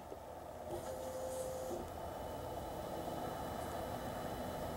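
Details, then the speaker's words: 1999 VW Passat 1.8L turbo, key on, rear tank access panel exposed: quiet steady fuel pump buzz priming evenly, no stutter; 50 psi fuel pressure, pump likely not the problem; actual fault was mass airflow sensor. "can hear the fuel pump run in there turn the key off so fuel pump is running does have 50 psi pressure while it's trying to run"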